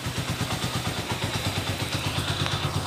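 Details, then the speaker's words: Honda TMX125 Alpha converted to 150cc, after swapping a thin metal head gasket, which let the piston hit the valves, for a thicker one, road-tested OK; steady single-cylinder idle about three pulses a second, no valve tapping, now quiet. "Pinalitan namin ng makapal na gasket. Kagaya nito. Yan. O, so ngayon, ayun na. Okay na. Tahimik na mga bro."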